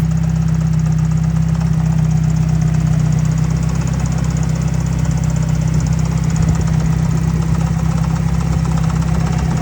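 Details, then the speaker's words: 1990 Mazda Miata, about 200,000 miles, standalone ECU tuned to shoot flames: rapid idle knock about four per second; owner suspects a piston ring, spun bearing or exhaust valve, not yet inspected. "So, I'm pretty sure you guys could hear that knocking. And unfortunately, sounds like there is a piston ring dancing around. Possibly a spun bearing. Maybe an exhaust valve. Not too sure."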